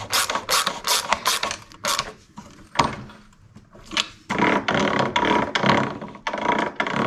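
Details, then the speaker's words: Toro Recycler mower, sat 3 years, after new drive wheels, pinion gears and snap rings were fitted. Quick bursts of crisp clicking, about two to three a second, come as the wheels roll back: the drive wheel ratchet freewheels normally. "That's the way it's supposed to work, and sound."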